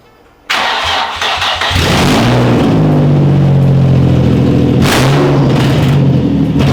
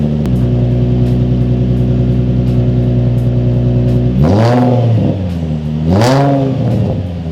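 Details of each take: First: Nissan 350Z running open headers with no exhaust fitted: engine catches, blips, then settles into a loud, raw, booming drone at idle; open header exhaust noise. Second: Nissan 350Z with newly fabricated exhaust replacing open header, test pipes to Y-pipe, first start: deep steady idle, two clean blips settling smoothly, no knocks or rattles, residue burning off; engine runs normally.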